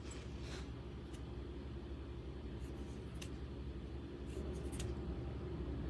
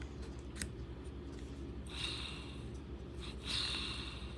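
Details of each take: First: Brushless RC motor from a Big Fox after its outer bearing failed: the rotor, test-spun in the rear bearing, gives a smooth, even low hum with no grinding or rattle. This rear bearing is fine; the noise was in the front bearing. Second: Motor from an RC truck, rotor spun by hand: faint spin with brief gritty rasping bursts; rough, failing front motor bearing, while the rear bearing sounds fine.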